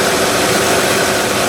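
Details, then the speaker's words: 2006 Honda Odyssey XLE RES after replacing the AC condenser fan and motor; steady even fan whoosh over a smooth idle, fan cycling on, with no wobble or the earlier nasty sound, which was caused by the fan's failing metal hub. Normal condenser fan operation. "unning very very nice it's not wobbling anymore i don't hear that that nasty sound that i was getting and it was definitely the hub that was the metal hub"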